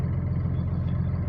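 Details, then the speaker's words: Cummins diesel at idle after rebuild with new connecting-rod small-end bushings and pins: low steady rumble with even beat, no tapping or knock; the earlier knock is gone, idling clean. "но никакого стука нету все замечательно"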